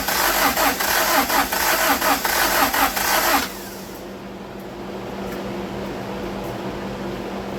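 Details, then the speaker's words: 1995 Honda Prelude 2.3 VTEC with stalling, compression test on cylinder 4: starter cranks in even pulses about eighty a minute for three seconds; low compression (60 psi) from abnormal wear, a broken piston. "if I recall properly cylinder 3 was at 124 I remember this one being [Music] low this was our problem"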